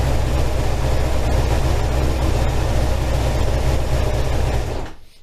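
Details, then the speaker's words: 1987 Kawasaki GPZ600R (ZX600A) after a rebuild, idling during carburetor synchronization: steady, even low rumble without hunting or surging, then the engine shuts off; normal balanced idle. "now when I turn the engine on you should see it stay around that area just have a look"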